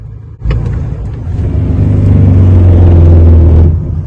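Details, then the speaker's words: Truck under engine braking: heavy diesel rumble with buzzing rattle from loose plastic air-filter trim on upper left cab roof, screw and washer loose, resonating through cab. "aquele acabamento plástico que tem lá em cima da cabine que ele solta o parafuso e ele fica meio frouxo e ele tem uma arruela e aquilo ali faz vibrar com essa vibração aciona faz essa ressonância na gabine toda"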